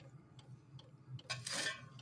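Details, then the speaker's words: Amazon diesel heater run on kerosene, first start of the season, burning off dust: light evenly spaced ticks about every third of a second over soft background from the dosing pump; normal fuel pump ticking. "Once it starts clicking, that's the fuel pump doing its thing."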